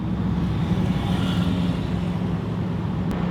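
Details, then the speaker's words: Rebuilt 2018 Hellcat on its first test drive after a wreck, taken easy at about 30 mph: a smooth low drone with even road rumble and a slight supercharger whine, no knocks, clunks or grinding. The car drives straight and everything sounds good. "30 mph. Everything sounds good."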